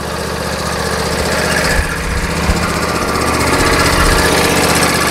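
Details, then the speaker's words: John Deere LA145 lawn tractor engine idling: steady fast tapping of about four per second over the exhaust. The owner thinks the valves need adjusting, possibly a knock, and the cause is unconfirmed. "sounds like it needs the valves adjusted you hear that tapping sounds like a"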